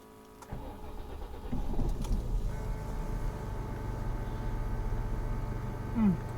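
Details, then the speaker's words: Peugeot 406 V6 start and idle after exhaust replacement; quick crank into a low, even idle with no rasp or puffing from the exhaust, a big improvement over the exhaust that had failed years ago. "That's a big improvement."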